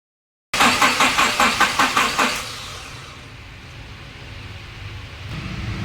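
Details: 2006 Nissan pickup: starter cranks evenly about two and a half turns per second, engine never fires; fuel pump OK but no spark at plugs, suspected fuse, relay, wiring or distributor rotor fault. Crank no start.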